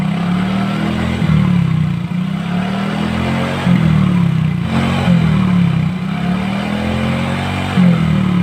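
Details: Yamaha Mio J after repair of a seized oil-ring expander that caused smoking, cleaned and reassembled, microphone at the exhaust: smooth, even low note swelling cleanly on throttle blips, no knock or rattle; healthy running.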